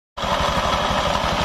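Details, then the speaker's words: Honda automatic scooter, CVT cover removed: a coarse, gritty rattle pulses rapidly and steadily at idle, yet turning the wheel forward by hand is smooth; diagnosed as a worn rear pulley needle bearing. "ini suaranya kasar Tapi saat diputar roda ke depan dia Suaranya lembut nih ah ak Nah untuk masalah seperti ini ini dari sini teman-teman ni di bagian bearing di bagian bearing Puli"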